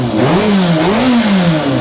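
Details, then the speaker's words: Yamaha FZR1000 EXUP, warmed up a little, blipped: very loud, bassy, raspy chuffing that follows the revs from a cracked exhaust collector with a pinhole on the manifold; it also misses between 4,000 and 6,000 rpm. "I think it gets a bit worse under there because if we start it up yeah it's very loud yes it's very Bassy isn't it"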